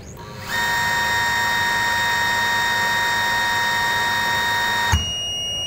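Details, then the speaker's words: Modified sine wave (MSW) DC-to-AC inverter running a water pump motor: steady high beep for about four seconds then a click as the inverter overloads and shuts off partway through starting the motor. "mengeluarkan bunyi bip lalu mati."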